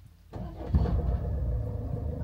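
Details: 2013 Range Rover Evoque SD4 diesel automatic after a starter motor fix for clicking: a quick crank, then the engine catches cleanly and settles into a steady low idle with no clicking; a healthy start.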